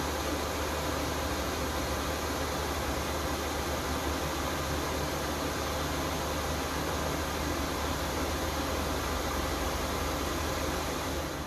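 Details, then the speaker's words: Chinese 5 kW diesel heater in a camper trailer, up to temperature: steady even rush of the combustion fan with low constant hum, no surging or popping; quieter than at start-up, running normally. "ever once you're up to temperature it takes long nice and quietly in the background"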